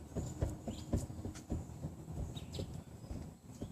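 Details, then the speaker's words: 2007-2013 Chevrolet Silverado 1500, lower ball joint pried, truck jacked up; quiet repeated dull clunks about twice a second showing excessive play, the same noise heard muffled in the cabin while driving: worn lower ball joint. "when you do it quick that's the same noise that you hear kind of in the cabin like that that's about what it sounds like when you're going down the road"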